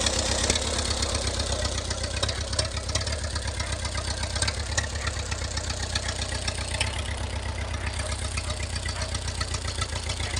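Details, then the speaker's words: M151A2 military jeep four-cylinder after new high-tension wires, capacitor, ignition coil, carburetor repair kit and corrected firing order and ignition timing: steady, even idle at about four beats a second, no popping or stumbling; now running properly. "kulikot Ayos na ang ating m151 military truck or military jeep so Ayan tama naama na natin anging order niyan ang kanyang ignition coil ignition timing"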